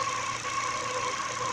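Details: Ford engine at idle with a newly fitted Contitech timing belt: a steady high whine around 1 kHz over a quiet idle. The owner suspects the new belt is too rigid compared with the original Ford belt; unconfirmed.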